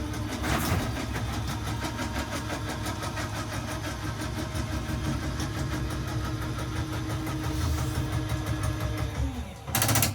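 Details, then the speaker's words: 2022 Chaparral 360IBL rack-and-pinion slide-out: steady motor drone with fine rapid ticking as the room moves, then a brief clicking clatter at full extension; normal operation. "These are all rack and pinion style slides, so you'll hear kind of a clicking noise once they're fully extended. Same thing when it fully retracts."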